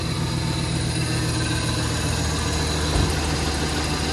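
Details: Truck with a low-mile replacement engine just swapped in after an earlier ticking; rear O2 sensor check-engine light, oil pressure good. Steady, even low idle, smooth hum, no ticking or tapping now, healthy-sounding engine.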